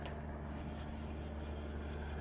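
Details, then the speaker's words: After replacement, the new rear wheel bearing on a 2005 Toyota Corolla S (about 167,000–176,000 miles) turns with a smooth, steady low hum, no rattle or knock; very slight brake-shoe rubbing that should settle. Normal wheel bearing. "let's show it with the wheel on nice and quiet very slight rubbing on the brake shoe which will find its place and settle after some breaking"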